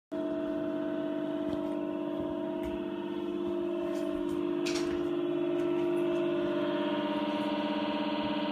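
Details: NewAir AWC-270E: steady droning whine at one pitch from the worn 80mm 12V cooling fan (TD8020LS, AWC-FAN1), fixed by swapping in a replacement fan.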